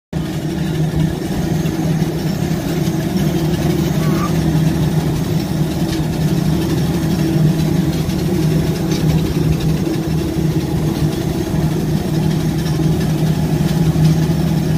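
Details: Lufthansa Airbus A320 engine, cold and windmilling before takeoff: a steady low drone with a faint uneven clatter from the loose fan blades, which the pilot says is normal.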